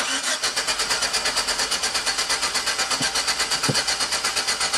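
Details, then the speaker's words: 2006 GMC Sierra V6, died after running rough, new cap, rotor, plugs and wires: steady starter cranking, about five beats a second, never catches or coughs after injector test flooded cylinders. No spark. "is definitely no spark because it flooded the cylinders with fuel and didn't even sputter or cough"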